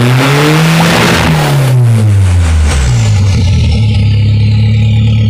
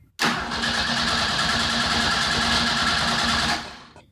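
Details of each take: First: 2.3L turbo Ford engine in a sand rail, after adjusting the timing and confirming good compression: revs drop into a rough, busy idle with a loose, uneven clatter. It sounds better than before but the fix is unconfirmed; engine clatter. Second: 2.3L turbo Ford sand rail engine, compression check after timing adjustment: fast, even cranking beat of about four pulses a second for three seconds with no weak strokes; compression good.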